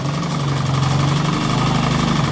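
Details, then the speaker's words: Analog sewing machine just after repair, stitching: fast, even whirr with a steady stitching rhythm, no catching or knocking, stitches coming out well; normal running. "দেখুন মেশিনটি ঠিক করা হয়ে গেছে। এখন সেলাই দিয়ে দেখতেছেন"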